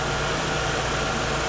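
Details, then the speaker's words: Audi V8 idling with A/C on: smooth, steady idle with even hum and no whistle or squeal from the belt area; belt squeal fixed. "Все, ничего не свистит. Все ровно."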